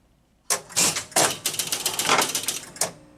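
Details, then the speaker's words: 1965 Gottlieb Bank A Ball pinball machine, after repair, start button pressed: quick run of relay clicks and coil clacks, then score reels stepping in bursts before stopping cleanly as it drops the 5 balls and resets the back box. A normal game start reset. "Boy, that was uneventful. Now you can hear a coil, but that's because nothing's been scored yet, I believe. It dropped the 5 balls."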